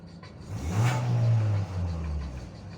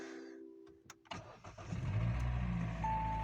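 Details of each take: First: Hyundai i40 2.0 4GNA after full engine rebuild for piston knock and oil use, first drive, cat removed: quick clean blip to mid revs falling back smoothly, no knocks or rattles; healthy engine. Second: Hyundai i40 2.0 L 4GNA, oil-consuming, before overhaul: after start, dull fairly regular knocking under rough cold idle, not holding idle; piston slap from scuffed cylinder walls.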